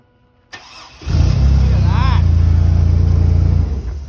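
Short starter whir, then the engine catches and settles into a steady, even low chug of about 3-4 pulses a second; starts cleanly.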